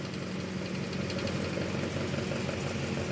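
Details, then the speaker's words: Antique 12-inch Emerson desk fan before restoration, on low then medium: a steady low motor hum with a rough, rattly edge, noisy because the motor has no oil; the oscillation barely works. "you can you can hear it's pretty noisy because of because of the no oil thing because it doesn't have any oil"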